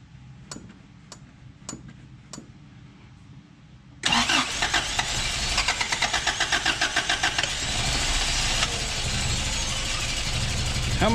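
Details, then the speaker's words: 1988 Toyota 22RE after head replacement and new fuel pump: a few clicks, then cranks and catches into an uneven, pulsing idle about four beats a second; ignition timing was wrong. "warm up there friend I'm not sure 100 what it's doing"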